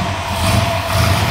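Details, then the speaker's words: Ford F100 tow truck with a freshly installed 410 Windsor V8 (515 ft-lb at 3,700 rpm), first start, oil in the exhaust and grease on the headers: deep, smooth V8 burble with an even beat and no tapping or stumble; normal idle. "Dude, that sounds nice. Yeah. It's very smooth. Nice job. That's how working trucks sound."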